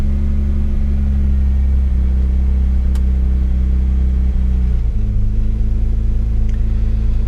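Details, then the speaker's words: Mazda MX3 with KL engine swap, idling after a system reset to relearn (one vacuum leak fixed earlier): the idle hangs slightly high at start, still learning, then drops and settles properly as it warms. "So have a listen to this. Slightly high idle at the start every time."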